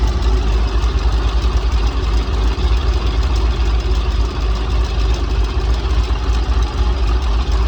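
Fast light ticking, about three per second, over a steady idle; a tick that could be a lifter or an exhaust leak.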